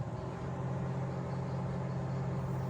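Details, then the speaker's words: LG inverter microwave heating soup for 30 seconds after magnetron terminal swap repair: steady even low buzz, no crackle; previously clicked and did not heat; now working normally. "Can you hear the buzzing? It's working. It's working. It's working. Earlier it used to do clicking noise, no heating, but now okay, 30 seconds around there."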